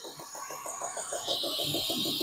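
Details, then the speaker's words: BMW E36 idling after its fuel injectors were rebuilt: a quick, regular ticking of about eight per second over a steady hiss, which the owner calls typical of these cars; smooth, even and normal. "they just make that noise it's annoying but it's running very smooth very nice it's like a clock"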